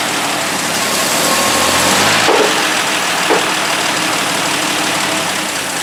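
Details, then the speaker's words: 1960 Dodge Dart Seneca with a new engine, running and creeping forward after long storage: hissy, uneven note with a faint stumble and the engine shaking; rough running from a dirty carburetor, later cleaned out again. "so well it moved and the brakes work fine that's a good sign i think i have to do some more tweaking to it though the engine's kind of shaking a bit"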